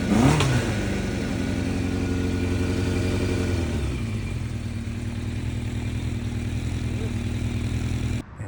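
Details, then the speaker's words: 1988 Yamaha FZR 1000, carbs rebuilt with larger Dyna Jet needles, Mikuni pilots adjusted, 3D-printed velocity stacks, new higher-flow fuel pump, methanol-free gas; cold start: catches with a rev blip, settles to steady even idle, no misses; running great. "And basically the thing is running great. Absolutely phenomenal."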